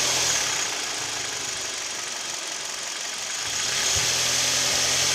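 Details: Kia/Hyundai Theta II G4KD petrol engine idling with A/C compressor and mirror, glass and seat heaters on, recorded from inside the cabin: steady light tapping about three per second under a hissy run; piston knock with vibration at idle, knock also at 1500 rpm.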